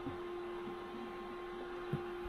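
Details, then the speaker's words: Anycubic Photon Mono 4 Ultra resin printer, about 80% through a Viking chess piece: quiet steady fan hum with a faint odd tick as the print peels off the sheet. Normal operation, nothing to worry about. "But yeah, you can hear that pulling on the sheet, which is a good sign. like I said. So, nothing to worry about if you hear that when you're printing."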